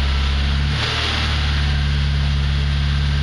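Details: ZAZ Slavuta 1.2 carburetted engine with 2nd-generation LPG kit, cold start on gas in winter (around -11°C outside, freezing garage), reducer warmed to about body temperature, clutch held in: steady even low hum, no misses or knocks; normal cold idle.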